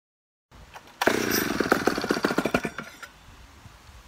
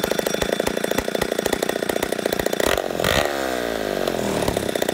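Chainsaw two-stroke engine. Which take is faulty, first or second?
second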